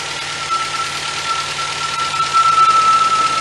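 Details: 1977 MGB after budget rebuild, coil fed 12 volts from fuse box, carburetor still to sort: engine ticks over fairly evenly with a faint steady whine on top; runs decently, needs carb tuning.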